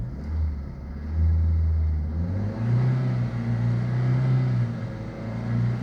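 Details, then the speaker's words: Ford Zetec engine after valve work, held near 2000 rpm; the note surges and sags unevenly, bouncing about rather than climbing smoothly, so the revs are hunting for an unknown reason. "Looks like it does that sort of revving sound when you get it up to 2,000 RP. It bounces about like a Formula 1 car. Don't know why. Not a smooth transition like it is on a rover."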